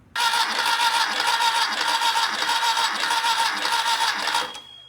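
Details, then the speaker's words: Freshly rebuilt VW Type 1 engine from a Karmann Ghia, compression test while cranking on the starter: cylinders 1, 2 and 4 at 130, cylinder 3 at 145, expected to level out after about 1,000 miles; steady, even cranking; normal compression. "so we have cylinder 1 is 130 two is 130 3 is 145 and 4 is 130 that's not too bad that's not bad at all"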